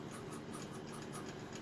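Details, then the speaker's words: Faint dry scratchy rasp as the pad of a National Detroit DA sander is turned by hand during disassembly: stiff, tight, rough bearing, one of two bearings inside. "so now this spins it's kind of stiff you hear that bearing"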